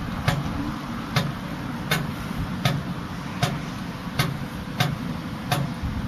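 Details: Class 66 diesel locomotive: loud diesel rumble with a sharp tick repeating a bit over once a second; ticking noise, cause suspected but not confirmed.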